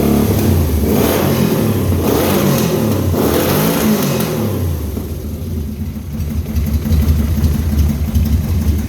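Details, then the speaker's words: Hand-built dune buggy with 1200cc motorcycle engine, running on its own after work: crisp throttle blips settling to steady idle, no misses or pops; sounds mean. "She sounds mean."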